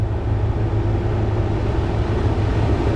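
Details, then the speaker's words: Ford Raptor, engine running, AC on, blower at fastest setting after flap removed from HVAC air inlet housing duct: steady even air rush with low hum, no vibration, rattle or flutter; normal blower after repair. "So no more vibration, no more noise, so that's good."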